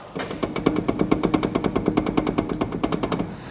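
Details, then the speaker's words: Mk7 Ford Fiesta EcoBoost from salvage auction, wheel rocked by hand: about a dozen sharp clunks, roughly seven per second; badly worn track rod end bush. "The track red end bush is knackered. Absolutely knackered."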